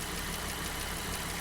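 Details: Jeep JK Wrangler Rubicon, Pentastar V6, 228,000 miles. Idle after adding Liqui Moly lifter additive and a test drive: the fast light lifter tick is quieter than before but still present.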